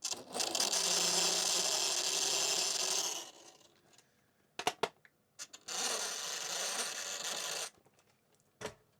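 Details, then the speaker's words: LD/RC 18401 Pro Range Rover RC mini crawler held up to the microphone: two short bursts of harsh high-pitched whirring grind from the transmission with some vibration, noise appearing when there is slack in the drivetrain. "There is quite a lot of noise from the transmission. I don't know if you can hear it very well or not. There's a transmission-y noise, and there's also a bit of a vibration as well."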